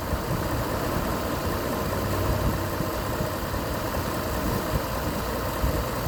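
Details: Petrol engine idling with steady, even low rumble, no hiss, misfire or knock, after vacuum leak fixed by reattaching hose with zip tie (P0171); short-term fuel trims trending negative on live data.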